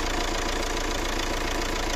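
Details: Fiat Doblo 1.9 JTD (Opel Z19DT 1.9 CDTI) diesel after full overhaul with new pistons, rings, rebuilt head and turbo and new engine mounts: even, steady diesel clatter at idle with no knock or misfire; healthy idle.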